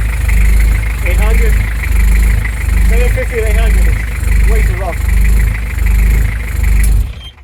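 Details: Beta 50 on its first test run: small engine catches, then idles unevenly, revs swelling and sagging about once a second; a rough, surging, hunting idle.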